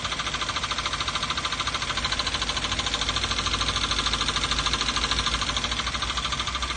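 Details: 2012 Toyota Avanza 1.5 L 3SZ-VE I4 petrol engine idling with a steady fast metallic knock about three a second, unchanged after an oil change and replacing all 4 spark plugs.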